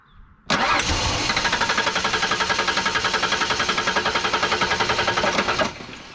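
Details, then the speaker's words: Ford Ranger (Ranger/Bronco/Explorer family) with key on in neutral cranks steadily at about four compression pulses a second for five seconds but never catches; spark confirmed, no fuel delivered; cause a tripped fuel pump inertia switch. "all right so there you see we're not starting um I could try it with the starting fluid again but I think we're going to see the same thing"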